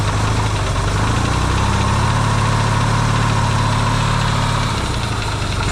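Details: Yamaha XS650 twin refitted to the bike frame, first start after work to cure oil burning: a steady, even low idle with a smooth twin thump and no pinging or knocking, though smoking, hoped to be break-in.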